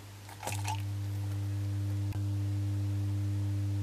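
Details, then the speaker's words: Shortwave receiver converted from slug-tuned to a 2–8 MHz general-coverage set: steady low buzzy 50 Hz mains hum, much reduced when a 2200 µF capacitor is switched in at the regulator output; owner suspects an internal ground loop, source not yet found. "you can hear that hum when i switch it in it's very very substantially limited but i think that is not the say the issue here i think there is a kind of ground loop somewhere inside this radio receiver"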